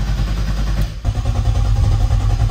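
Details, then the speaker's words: Turbo BMW M50 E30 after TPS recalibration: engine cranks and catches briefly with uneven stumbling firing, then won't run on; owner suspects too much fuel in the cylinders, strong fuel smell. "It wants to start. It almost started. I think there could be too much fuel in there."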